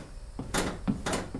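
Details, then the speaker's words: Jon boat rebuild: loose plywood deck panels resting directly on foam, not yet screwed down, give irregular dull creaks and knocks every half second as the deck shifts; carpet strips underneath quieted another panel. "it's quiet you can hear the creaking the pieces up there on the front"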